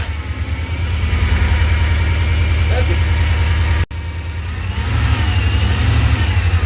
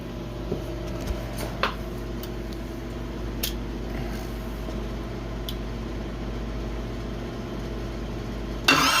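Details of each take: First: 5.3 LS V8 from a Suburban swapped into a promod rock crawler, first start: deep, even burble with a steady beat and light throttle blips; smooth, quiet, healthy running. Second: GM 5.3 LS V8 from a Suburban swapped into a promod rock crawler, cranked dry with coil packs and fuel pump disconnected to prime oil: steady fast starter cranking with sharp clicks, engine not firing; starter noise, probably needs a starter spacer.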